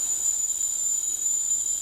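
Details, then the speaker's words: Mr. Coffee tea kettle filled to maximum, reaching the boil after almost 10 minutes; steady piercing high whistle over faint hiss, train-like, whistling normally at boil. "It's like a train."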